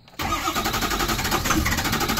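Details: Ford 6.0 Powerstroke diesel crank-no-start: steady starter cranking, the engine turning over evenly but never catching, while FICM voltage and ICP/IPR readings are monitored; low injector module voltage suspected.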